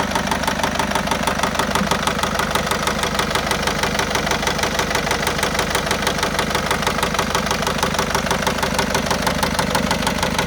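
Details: 2010 Citroen C4 Grand Picasso, Peugeot-Citroen 1.6 HDi diesel at idle: a hard, even knock about three times a second, a bottom-end (crank or rod bearing) knock.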